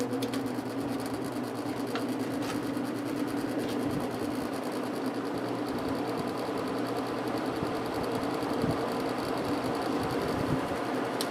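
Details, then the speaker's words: Vintage GE window ventilator fan after cleaning and oiling, running in the opposite direction: steady, even hum with a light mechanical whir, no knocks or scraping; smooth. "probably one of the quietest fans I've ever heard definitely running at full speed now"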